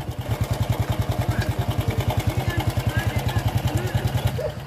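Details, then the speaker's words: Honda Revo fuel-injection motorcycle under a year old, idling: fast even pulses with a light clattering edge; noisy cam timing chain, to be fixed by fitting a longer disc brake master spring to the tensioner. "Beberapa bahkan belum genap satu tahun dan rantai timing-nya sudah berisik seperti ini."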